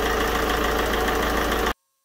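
Steady, even diesel rumble with a regular beat and no ticking or misses before it cuts off; idle sounds healthy.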